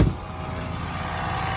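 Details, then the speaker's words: 1999 Toyota 4Runner, automatic, two-wheel drive: engine runs smoothly and sounds healthy under a thin steady scraping whir; cooling fan rubbing on shroud. "You can hear the fan is rubbing. The motor sounds pretty healthy though, besides the fan rubbing."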